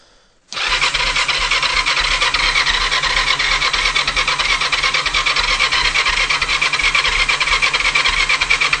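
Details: Kawasaki GPZ500 cranks but won't start: steady fast starter whirr with even chuffing about three beats a second, never catching; already tried new fuel, new plugs, HT lead and coil, new battery, drained carbs, checked air leaks, pipes and air filter.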